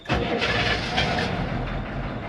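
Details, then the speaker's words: Diesel ambulance after charging flat batteries with slave cables attached, started once the glow plug light goes out after winter storage: brief crank, catches straight away into an even, steady run, a clean start. "Turn it on. Let the glow plug light do its thing. As soon as that light goes out, there we go."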